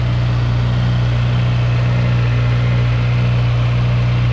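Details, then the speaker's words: Honda Civic Si (8th gen) with swapped JDM K24a engine, TSX intake cam, RBC intake manifold, before tune, during coolant bleeding: steady smooth quiet idle, no knock or tick; white condensation smoke and header oil burning off. "Runs smoothly. Pretty quiet."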